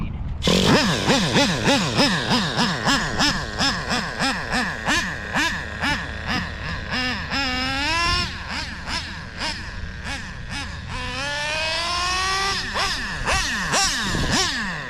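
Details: Used Traxxas Slayer Pro nitro RC engine after the low-speed needle was turned 3 hours richer: high buzzy blips sweeping up and down, picking up cleanly each time. Runs well.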